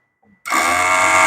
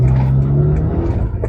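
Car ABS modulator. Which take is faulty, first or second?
first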